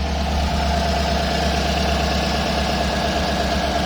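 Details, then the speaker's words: 2018 Chevrolet Suburban LS V8 after overheating, with misfire on one bank, weak battery and a melted intake, just started very hot: steady rough idle with a fast uneven puffing tick over the low rumble; exhaust leak as expected. "It's on. I have an exhaust leak just like I expected."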